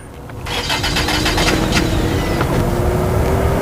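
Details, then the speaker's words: BMW 740 with rat-chewed engine wiring and drivetrain malfunction warning: starter churns steadily about three seconds with uneven bursts but engine never catches; crank no-start, cause suspected wiring damage, not confirmed. "doesn't want to start a malfunction going on what happened in the car didn't have any problems before now"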